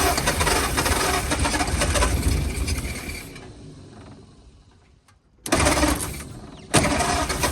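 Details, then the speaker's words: 1940 or 1941 Ford flathead V8 truck, sat about 50 years, running cold on ether, heads and block not yet warm: loud, ragged, uneven running fading nearly to stalling then surging back, won't idle on its own, spitting unburnt ether. "okay you can kind of bring the idle down on her now getting somewhere with it's spitting out a bunch of unburnt ether like enough to burn your eyes heads are not warm yet Block's not warm yet"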